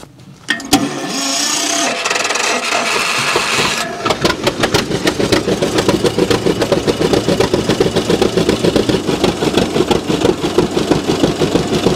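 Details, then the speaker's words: John Deere G two-cylinder tractor, previously running on one cylinder with a wet plug, after replacing the plug wires and fitting new Autolite 388 plugs: cranking start, then an even, steady two-cylinder putt with no misses, running properly on both cylinders. "well i got the plug wires changed out everything put in the permanent spot where they need to go also got those new autolife 388 plugs in there this thing's back to running how it should have been"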